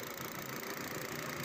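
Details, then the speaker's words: Hyundai Stargazer 2023 that came in with oil warning light and loud knocking, grinding, fuel-knock-like engine noise: after oil change, quiet steady even idle, noise gone even when revving. "Umaandar na, wala na po yung ingay kahit sa revolution. Wala na yung kiskisan at parang kumakatok at fuel knock na sound ng chaser nila."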